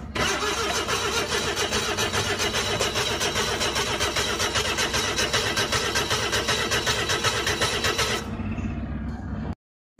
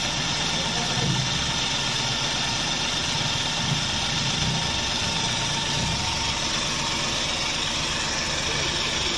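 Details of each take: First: Flood-damaged Suzuki DA64V van, petrol engine: long, steady cranking at an even beat for about eight seconds with no firing; turns over but won't start. Cause suspected, not confirmed. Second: Flood-damaged Suzuki DA64V van, petrol engine, after the crank-no-start was fixed: steady, even idle with no misses or surges; running normally, water suspected in the engine.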